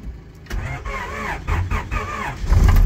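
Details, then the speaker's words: Normal start of a Honda B16 VTEC-swapped Mini after steering column rebuild: with weak battery charged about 5 minutes, starter turns briefly and the engine catches promptly into a steady run. "Fuel pump is kicking in, everything's working, so just give it a minute to charge. Right, left it for about 5 minutes again. Let's see. She turns on."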